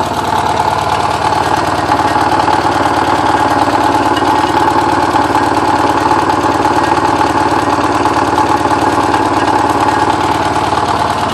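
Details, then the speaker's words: Porsche 944 running after ten years sitting, with all exhaust valves bent when the timing belt tensioner pulley fell off; a lumpy, uneven idle with irregular stumbles and a hollow exhaust sputter, a rough misfire that sounds terrible. "Well, that sounds terrible. Well, that's probably enough for now."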